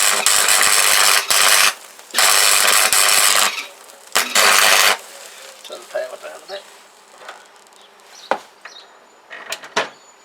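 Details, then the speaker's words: Welder after cheap home repair of broken part, test weld on scrap metal; short bursts of harsh crackling sizzle about a second each, arc striking cleanly every pull, feeding normally; welder works again. "happy with that it's a bit of a mess I'll be honest it doesn't look very pretty but it works"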